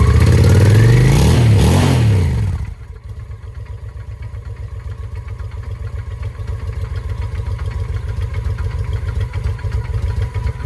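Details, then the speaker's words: 2007 Honda Shadow V-twin after a new clutch: brief revving, then a lumpy low idle with uneven pulses about 3.5 per second. It knocked earlier and seized briefly during an oil check while running; oil was drained. Still sounds bad; cause unknown. "I've never done a clutch on a motorcycle. Not sound very good still."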